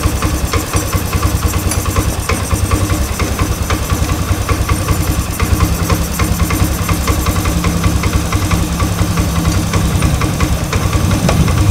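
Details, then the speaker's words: Honda Scoopy FI scooter that stalled when releasing throttle, after throttle body refit and idle air adjustment, air filter element missing: quick even putter holding steady without dips; idle now set cleanly. "Nah di sini sudah bisa langsam kita naikkan sedikit"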